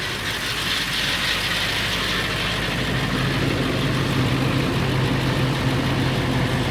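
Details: Late 1999 Ford F350, 7.3L Powerstroke diesel at steady idle: loose metallic rattle about four a second, unchanging, more pronounced under the truck; owner suspects flexplate or engine, origin unknown.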